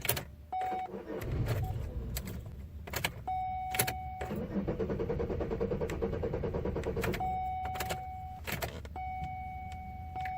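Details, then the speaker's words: 2002 Chevy Malibu in a crank-no-start condition: the starter cranks in repeated bursts with door chimes between, but the engine never catches. A boost was tried with no result, a P0420 catalyst code was read, and the cause is not yet found. "Looks like it's not getting far. Well, let it set for a little longer. I had a pump boost, but nothing."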